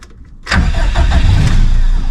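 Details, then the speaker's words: Stock Subaru EJ257 longblock in an 1100+whp STI, cold, in neutral. Faint cranking, then it catches with a surge into a rough, loud cold idle; hard cold start, cold start tune needs work. "come on girl she cold there's the [Music] pop almost well it's safe to say I'm going to need to work on the cold St"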